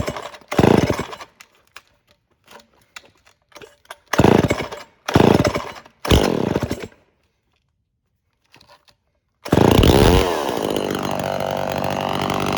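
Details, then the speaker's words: Early-1970s Remington SL 11 chainsaw, points cleaned and set and carburetor previously adjusted, pull-started on choke with throttle locked; it catches and settles into a steady, even two-stroke drone and seems not to need carburetor adjustment. "so i ran it for a bit and it really doesn't seem like it needs a carburetor adjustment"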